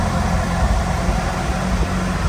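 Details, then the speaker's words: Ferrari California T just after start, running rough with a lumpy, uneven pulsing beat instead of a smooth idle; it would only start with a headlight disconnected, an electrical fault suspected, and it calms down after running. "it's running very rough but or issues to do the headlight so we can hear it sounds a little rough but there you go"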